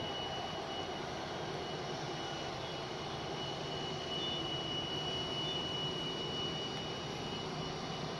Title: strange whistling sound